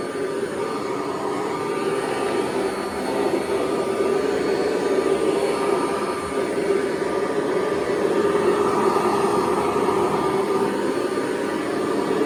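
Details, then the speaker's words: 1982 Kirby Heritage 1 upright vacuum from a thrift store: steady, even motor roar with constant mid-pitched hum; runs quite well but owner thinks the drive belt needs replacing from the sound. "actually runs quite well. So I am going to have to replace that belt though it sounds like."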